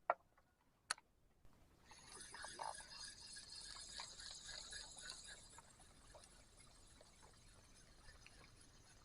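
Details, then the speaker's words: Daido Ocea SW spinning reel after about 6 months of casting use with a 5.5 g lure, never serviced: faint rough gritty rasp throughout the retrieve of PE line; dry line roller and bearing, fixed by cleaning and re-greasing. "sudah dipakai sekitar 6 bulanan terasa kasar nih suaranya kasar pakai umpan 5 gram setengah Kenapa ya ada suara kasar gini"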